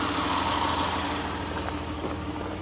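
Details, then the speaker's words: 2010 Chrysler Town and Country after hydrolock repair (intake manifold gaskets, plugs and coils reinstalled): the engine revs up smoothly and evenly with no knocks or stumbles while smoking off water and oil poured into the cylinders. Normal revving. "it runs good as a smoking see they can clear out all the water and oil that I've poured down in the cylinders"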